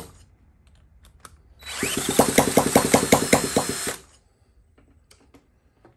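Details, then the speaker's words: 1979 Honda Z50 with fuel poured into the carburetor without removing it, and fuel leaking out of the bowl: the small single catches for about nine pops over two seconds, then dies; fuel starvation. "yeah it's it's coming out the bowl oh so close"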